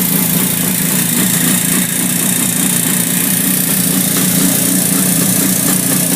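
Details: 1967 Yamaha YR1 two-stroke: steady idle with a faint, loosely regular tick on top, roughly three to four a second; clicking noise of unclear source.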